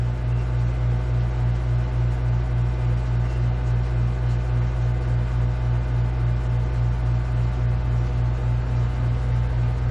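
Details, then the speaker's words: 16,000 BTU marine AC on a 2001 Hydra Sport 2600WA boat, running on house power: a deep, even compressor hum with a steady low pulse and no knocks or rattles. The compressor is running normally and blowing cold air. "As you can hear the humming of the compressor, and the air is real cold."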